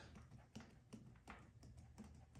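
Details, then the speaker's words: Bicycle front end rocked: irregular hollow dull clunks about twice a second, fork moving back and forth from play because the top cap isn't tightened; loose headset. "And you can kind of hear the fork moving back and forth in there. And that is because the cap up top is actually not tightened down that good."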